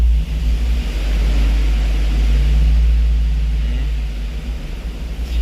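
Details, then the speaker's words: 2006 Hummer H2 V8 with a lumpy, stumbling idle and misfires on all cylinders; misfire counts 19%, 31, 34, rising when revved. A failing ignition coil on cylinder 4 is suspected; an intermittent coil from another vehicle is used for testing. "Si se dan cuenta, este es el del problema y me dan mis fire en todos."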